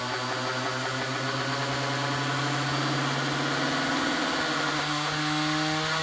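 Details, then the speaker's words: Manson 3-15VDC 30A power supply, test after reassembly: a motor runs at normal speed with a steady, even hum and clean whine that rises smoothly as the voltage is turned up, with no knocks or roughness; running normally. "okay so that's the disc of normal speed let's crank it up a little bit"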